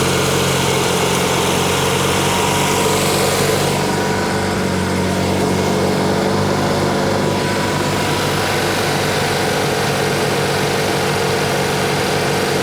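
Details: 1986 or 87 Argo Magnum after a fuel system cleanup: steady, low two-stroke idle with a soft, even putter and no misses. The idle is probably set low so the clutch doesn't engage; running normally.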